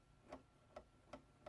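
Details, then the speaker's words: RC crawler Ugly Duckling on its stock chassis, front suspension compressed: four light, sharp plastic clacks as the front link truss over the axle hits the chassis at full up-travel. "And you hear that clunking noise? That is the cross member, the truss on the front for the front forelink that goes across the top of the axle, hitting the chassis."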